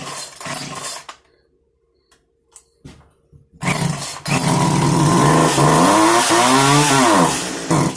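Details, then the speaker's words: Small two-stroke engine, started on the bench: it fires and revs with a rising, wavering whine from an air leak, possibly a gasket leak. "You hear that? Is it whining? She's got an air leak."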